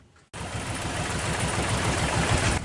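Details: Carbureted Toyota Corolla DX idling: uneven, lumpy idle with irregular low thumps and shaking; a disconnected manifold vacuum hose is causing the misfire and rough idle.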